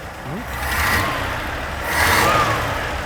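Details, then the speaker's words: 1980 Dodge D150 truck, warming with choke coming off: two clean rev swells from a lumpy idle, picking up crisply without stumbling or popping back; normal revving. "give it a REV all right does sound pretty great all that's nice nice"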